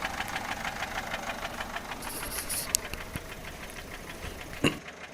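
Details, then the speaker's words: Peugeot 407 1.6 HDi diesel idling, ticking noise began after a road trip, with slight white smoke from the rear: fast light top-end ticking; mechanic suspects valve gear or tappets, with broken parts also possible; unconfirmed. "او العصفور احنا نقول العصفور في تونس اللي هو من فوق لان نسمعوا فيه صوت"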